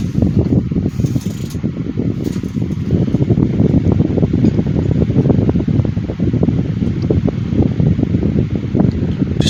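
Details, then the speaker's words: 2010 Midea 12" FT30-8MB oscillating table fan running on high after a sluggish start: smooth, steady low whoosh of air with no ticking, rubbing or wobble; normal fan running on high. "love the sound of these old desk fans. These make really good sleeping fans."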